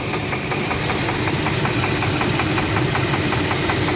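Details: 1996 Chevy Blazer LS with 4.3 V6 idling with a steady, sharp knock several times a second that began after a 100-mile drive; noise appears at idle, goes away with higher revs and driving, source unknown.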